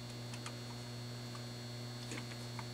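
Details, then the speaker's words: Panasonic SL-PC394 5-disc CD player on dim bulb and power meter, about 2.7 W idle: pressing power gives faint, irregular clicks over a steady electrical hum, but nothing starts; clicking on power-up with no function. "it clicking but I hear nothing happens very silent clicking"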